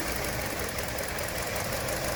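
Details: 2017 Hyundai Elantra with an intermittent, ongoing idle misfire, recorded from the console and engine bay: an uneven, stumbling beat under a steady rumble. The number 2 coil was replaced and the computer updated, but the cause is still not found.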